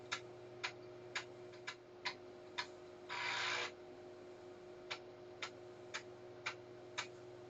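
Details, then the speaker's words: Commodore 1571 drive, repaired after going pop (mains filter replaced), formatting in double-sided 1571 mode from a C64: crisp, even head-step ticks over a faint motor hum, head returning to track 0 and going again. Normal formatting. "Okay, it's now pulled the head all the way back to track 0, and it's doing it again. Presumably it does one side and then the other."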